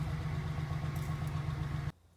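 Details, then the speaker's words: 2001 Chevy Suburban, after a new aftermarket fuel pump replaced one that left it not starting: steady, even low rumble at smooth idle, no misses or knocks, before shutting off; running normally. "I hear the pump running. That's a good sign. [Applause] Oh my goodness. It's a beautiful thing."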